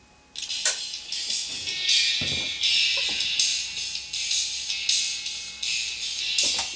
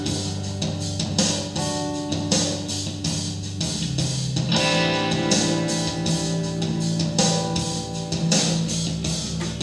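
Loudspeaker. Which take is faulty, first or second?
first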